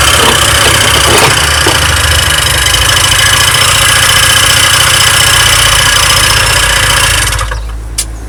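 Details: Honda Dio 27 scooter after fuel pump replacement and carburetor cleaning: busy, high-pitched two-stroke buzz holds steady for seven seconds then dies away; runs cleanly without stumbling.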